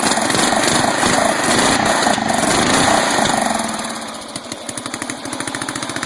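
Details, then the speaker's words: 12.5 hp flathead mower engine ("biohazard"), sat about three weeks, loud at high throttle, then sags into uneven popping beats near three a second and tries to die when backed off; backfiring through the carb, suspected carburetor with rusty, dirty bowl. "It wants to die when you back it off high, red. Backfiring through the carb."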